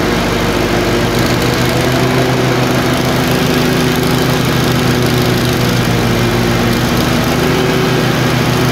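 Steady low engine drone whose tone shifts after a second, with uneven, stumbling firing; a twin surging and missing at random.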